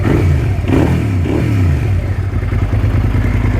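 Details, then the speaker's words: 2005 Suzuki SV650S V-twin idle raised from 800 to about 1250 rpm to cure cutting out at idle; spark plugs and oil had already been changed. Steady low thump with an even beat and no stumble or hunting; runs like a dream, normal idle. "There's the engine idle speed. It was 800 RPM. I've just increased it about, what's that, 1250. Runs like a dream."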